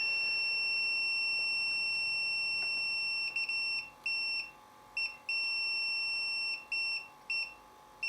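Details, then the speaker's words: Samick KS10 guitar amplifier, continuity meter on the power switch: steady high meter beep cuts out and returns irregularly as the center lead is moved; intermittent power switch contact, loose pin or worn rocker contact. "I don't know what's wrong with this actually bored yet with just me fiddling with a switch but this has to be done in order to make sure that I'm on the right track cuz I reckon we've got a dicey connection"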